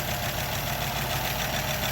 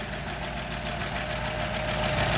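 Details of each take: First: 1936 Buick Century 320ci straight-eight idling after exhaust manifold repair, not run in 3–4 weeks: smooth idle with a faint fast tapping over the exhaust note; the owner hears lifters/valves needing adjustment, unlashed for perhaps 50 years. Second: 1936 Buick Century 320ci straight-eight idling after exhaust manifold leak repair: an even, quiet idle with a soft steady rumble and light valve ticking; no exhaust puffing, quieter than it's ever been.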